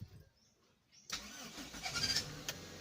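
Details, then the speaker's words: Engine after replacing cables, with new spark plugs and new high-tension leads, ignition timing set: a second of quiet, then it starts first try and settles into steady even quiet idle; alternator charging normally. "Ayan umandar na siya guys. Is-start lang. So tama 'yung timing natin."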